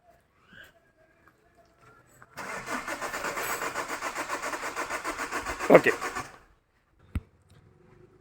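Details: Chevrolet Cruze: starter turns the engine over in even pulses, about three a second for roughly four seconds, but it never fires; cranks, no start.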